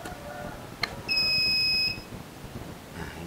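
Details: Polytron single-tub washing machine after repair of hum on plugging in (earlier capacitor fault): one clear high beep under a second at switch-on, then quiet with no motor hum; normal power-up signal.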